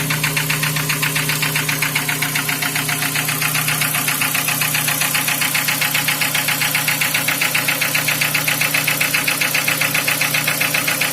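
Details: Nissan Wingroad 2003 restyling, QG18DE petrol engine, automatic, AWD, started cold and idling: a steady regular knock about two and a half beats a second, near cylinder four; oil pressure about 3.5–4 bar, dropping as it warms.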